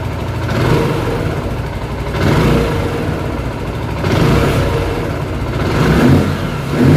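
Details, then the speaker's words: Zontes 125 single after flashing the Bosch MSE 6.0 ECU, started cooled then warming: blipped every couple of seconds, climbing crisply and dropping back to steady idle; holds revs, reaches 10,500 rpm, clean revving. "I leci do 10,5 tysiąca obrotów. Także jest dobrze."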